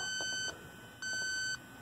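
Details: Robinair LD7 refrigerant leak detector on an R-410A Rheem heat pump outdoor unit installed under a year: two sustained high half-second beeps alarm at a leaking solder joint, confirmed with an Accutrak ultrasonic detector.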